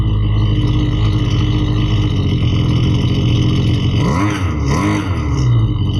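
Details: Husqvarna 329L string trimmer, which had been bogging, runs after reassembly and carburetor adjustment with a loud, even two-stroke buzz and a couple of smooth rev swells, no bogging: it runs properly.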